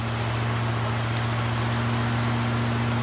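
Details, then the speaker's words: 1976 Cadillac Eldorado Biarritz V8, first start after sitting from mid-October to May, battery tested good: fired right up into a smooth, even low rumble with no knocks, misses or ticks; runs like a champ, healthy idle. "Fired right up. Runs like a champ. This car is awesome."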